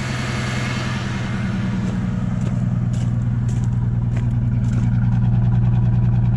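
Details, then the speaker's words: Pickup with a single coil pack: idle carries an uneven beat with a regular stumble, about three pulses a second; misfire from a suspected bad coil pack. "I'll go ahead and start up, show you guys what it sounds like so you can hear it. Reach in here, see if we can reach it. See, it has a miss."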